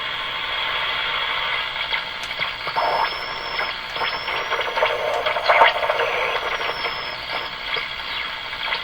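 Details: Eatons Universal Electrohome floor-standing tube radio, heavily modified by a previous owner, during IF alignment check: thin high whistle over hiss and crackle, drifting in pitch and popping in and out, a spurious IF oscillation; grounds being removed to trace it.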